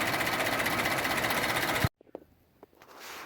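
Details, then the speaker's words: 2010 GMC Acadia idling with fast, even light ticking under the hood from the EVAP purge valve; ticking stops when it is unplugged, valve replaced. "doing a little research I discovered that is this purge valve right here you can hear the ticking as soon as you pull it out it stops"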